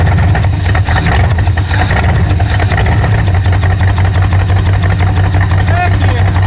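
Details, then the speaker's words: 1968 Thunderbird rusty 429 big block, first fire after freeing the cylinders and lashing the rockers, running on carb spray. A loud, lumpy rumble with an uneven beat, missing a cylinder or two; owner suspects the carb-spray fuel. Rough running. "oh man it's so cool well it runs it definitely definitely runs sounds like there it's missing a cylinder or two but that's probably just because of the fuel there season just as carp spray it's not really the best"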